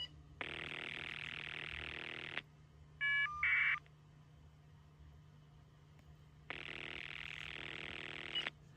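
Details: Telephone line heard through a butt set's monitor: buzzy ring voltage cycling at about 20 Hz, then a warbling caller ID data burst like a screeching tire, then another ring; normal ringing line with caller ID.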